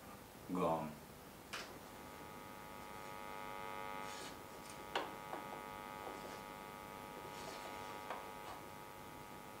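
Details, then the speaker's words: Output transformer (Bassman Micro build) tested through an amp near AC power cord and filament heater wires; steady low buzz with even overtones and handling clicks, loud near the cord and gone when moved away; mains hum induced in output transformer. "i'm going to show you uh last but not least what the effect is of the the ac power cord and the filament heating wires they run over here so close to the power cord a lot of hum move it away"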